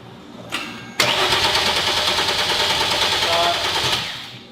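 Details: Hyundai Genesis Coupe 3.8 just converted to turbo (Precision 6266 turbo, new ECU): steady starter cranking about three beats a second with no firing, fuel disabled to crank and prime oil before first start.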